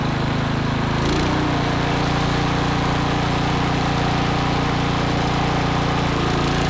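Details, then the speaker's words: Troy-Bilt Vortex 2890 snowblower, started cold on full choke after carburetor cleaning: smooth, even, steady run with no surging or hunting. Fixed; the low-idle screw passage, plugged solid, likely from unstabilized fuel, had caused the surge. "We have fixed the issue. What do they say? You don't know what you don't know? That low idle screw was plugged solid."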